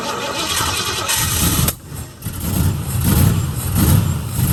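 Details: 1969 Mustang that sat 15 years, with new starter, new carburetor and changed distributor: cranks, catches and stumbles with uneven, lumpy firing and surging loudness; runs rough, owner thinks he was dumping too much fuel, timing and carburetor uncertain.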